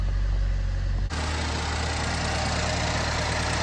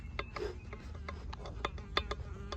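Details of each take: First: Chevy HHR SS turbo, automatic, just after turbo replacement, no check engine light: even idle hum stepping up to a louder steady whoosh after a second, no knocking or misfire; runs pretty good, though a belt squeal is mentioned. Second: Chevy HHR SS turbo removed from the engine, shaft pushed in and out by hand: irregular light clicks and clunks from about a quarter inch of in-and-out (axial) shaft play, with an insect buzzing nearby; worn turbo, being replaced.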